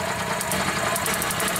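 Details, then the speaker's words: 2004 EZ-GO golf cart that quit after driving through a deep puddle, cranking while the ignition coil feed is bypassed with a fused jumper. Fast, even cranking chatter with faint attempts to catch, weak spark. Cranking without starting. "look it's trying to start look at that spark take that off weak spark"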